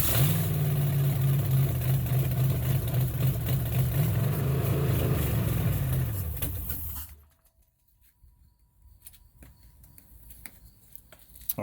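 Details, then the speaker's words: 1969 Chevrolet Camaro (first gen) original engine, found blown/burning, later LS-swapped: cranked with fuel sprayed into the intake, it catches and holds a steady, even drone about six seconds, then winds down; fires and runs cleanly. "so here we go i'm going to fire it up like i said i'm just going to be spraying some fuel into the intake right here and then i crank it with uh this little device right here"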